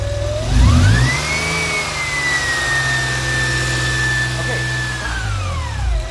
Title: Whining noise from serpentine area. (Fixed!)